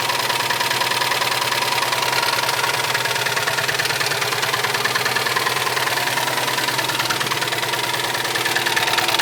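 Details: Subaru STI petrol engine idling: steady hard knock about three times a second, later found to be a melted piston.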